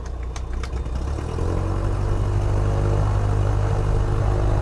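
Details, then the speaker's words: Light airplane piston engine just after a flooded start: a rough catch, then a steady low drumming idle firing evenly at about 1,000 RPM with 60 PSI oil pressure. Fuel pressure reads near nothing. "Oh, there we go. All right, 60 PSI on the oil. Woo! 1,000 RPM."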